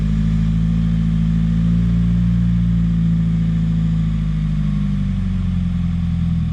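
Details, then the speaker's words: 2017 Subaru WRX turbo after aftermarket charge pipe and top-mount intercooler install, white exhaust smoke: low, uneven idle wavering and stumbling, stalls; owner suspects boost or vacuum leak, not confirmed. "Something's not right. Something's definitely not right."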